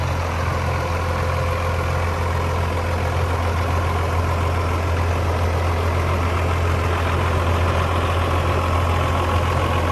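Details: 1994 Dodge Ram 2500 4x4 with a 12-valve 5.9 Cummins diesel, 5-speed manual out of gear, 122,314 miles: deep, even diesel clatter at a steady low idle with no misses, knocks or surging; healthy.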